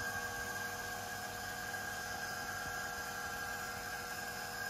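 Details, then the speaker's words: Runxin F67P1 automatic filter valve, plugged in, during 20–30 second automatic flush mode before settings mode: quiet steady electric hum and constant whine, no clicks or grinding; drive motor running normally. "once we've gone you can hear the motor running once we've gone over to this automatic flashing mode it's going to go into our settings mode"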